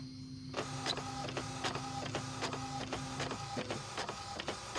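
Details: Epson L565 printer after the fix for grinding noise and double-line printing: even rhythmic carriage passes with paper-feed ticks about once a second, no grinding or scraping. The printer is running cleanly.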